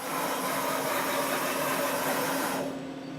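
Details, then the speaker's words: Milltronics VKM4 3-axis CNC mill with a new control computer, just homed, table jogged on the Z and Y axes. Even whirring with a low, steady hum that cuts off cleanly when motion stops; quiet, normal servo noise. "the y-axis so quiet z-axis just normal servile noises"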